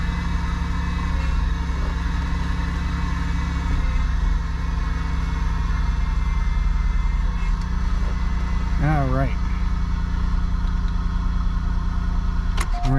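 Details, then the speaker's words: 2001 Buick LeSabre after replacing the power steering high-pressure and return lines, refilled and bled at idle. The whine wavers and groans as the wheel is turned side to side, and the fluid is visibly bubbly: aerated power steering fluid. "so you can hear that air that burped move that out you see a bunch of bubbles on there"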